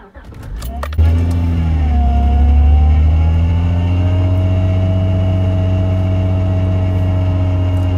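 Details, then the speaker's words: 2002 Acura TL-S, 317,000 miles, started cold below freezing: steady mid-pitched power steering pump whine, also heard when turning the wheel, from air drawn in past a hardened inlet O-ring; it fades once the engine warms and the O-ring seals. "So you can hear that loud whine coming from the engine, and you can also kind of hear it when you turn the steering wheel."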